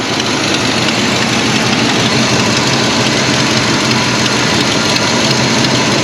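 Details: 1973 Oldsmobile 98 with 66,000 original miles, first running after about 15 years off the road. Loud, raspy idle with a harsh hissing chuff from a chunk missing from the exhaust manifold gasket. Otherwise runs smoothly.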